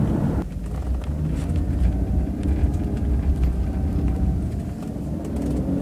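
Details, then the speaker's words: 2001 Jaguar X-Type 2.5 manual, 107,000 miles, road test over lumpy lane after replacing rear top and lower control arms, ARB bushes and drop links for knocking; steady rumble, only very slight noise from back; rear suspension quiet. "well that was very satisfactory there's only a very slight noise coming out the back now"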